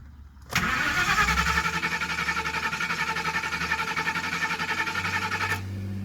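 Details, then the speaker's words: Car nicknamed "people eater" with a new fuel pump and new idle air control gasket, after a lean-running problem; steady cranking at about four turns a second with no firing; cranks but won't start, smells of fuel, cause unknown. "It's like totally dead. Like super, super dead. It smells like fuel, like it's too lean."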